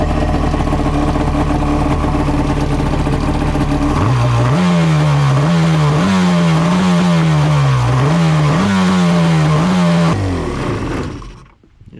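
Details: XL700 waverunner two-stroke after engine reinstall: steady idle, then repeated throttle blips rising and settling cleanly, no knocks or misses; actual fault was just a hose.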